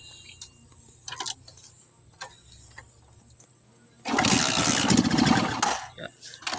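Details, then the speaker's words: Skygo motorcycle engine started with spark plug ground and center electrode gap set too close: quiet cranking, then it catches for under two seconds, rough and uneven, and fades; misfiring and hard starting from the closed plug gap. "Kung napansin nyo at narinig nyo yung tunog ng makina niya, palyado siya at hirap umandar."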